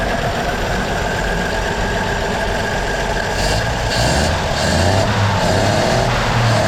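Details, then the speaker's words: 1937 Chevy Master Deluxe coupe, now warmed up after its first start in about a year and a half: steady, even idle with a smooth low thrum, no knocks or misses; normal warm idle. "She's warmed up and ready for another year of sitting."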